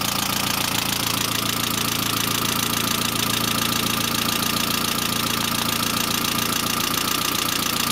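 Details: Saab C900 after an engine/head rebuild: constant light valve lifter ticking at about 3.5 per second over a steady idle, with no oil leaks and the oil pressure lamp off. Owner suspects the oil pressure relief valve, which was not thoroughly cleaned; unconfirmed.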